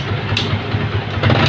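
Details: Yamaha Vixion motorcycle after fitting a cheap homemade anti-theft kill switch, switch set to allow starting: bike catches and settles into a steady, low, even thrum with a brief rev rise, running cleanly.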